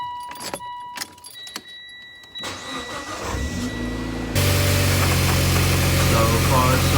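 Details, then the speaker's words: Mitsubishi Evo X after an oil and filter change, started and running about 3 minutes: a few clicks and a crank, then a steady, even idle with no misses, knocks or leaks; normal idle. "Car's been running for about 3 minutes or so now. No leaks or anything going on over here."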